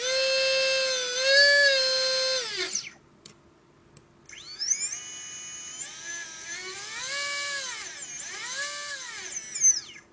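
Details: Readytosky 1804 drone motors during vibration testing after calibration: high whine rising and falling with throttle, rough gritty edge and heavy shaking; bad bearings, owner says magnets come loose from vibration.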